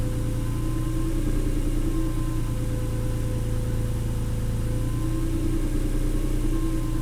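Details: 290,000-mile Honda NSX at idle after a track day, whine becoming more pronounced as the engine warms: steady thin high-pitched whine over an even idle.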